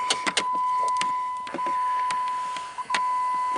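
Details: Irregular sharp plastic clicks over a steady electric hum under the dash of a 2012 Jeep Patriot, about 126,000 miles, engine running; recirculation door actuator skipping on stripped gears, struggles at fresh-air position; fixed by replacing the actuator.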